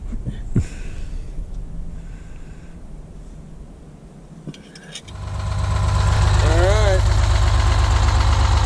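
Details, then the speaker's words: 1971 GMC 9500 with Detroit Diesel 6-71 two-stroke, started after 26 years, after tune-up: catches and holds a smooth, steady, rhythmic idle around three firing pulses a second, purring; normal idle. "so late at night tune-up's gone uh it sounds good it's purring good"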